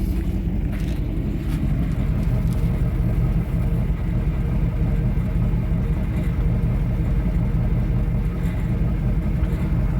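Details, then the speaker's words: Firebird Formula F-body V8, family-owned 22 years, being revived: steady deep rumble with even unbroken beat, nothing clattering on top; normal healthy idle before a drive. "Definitely sounds good."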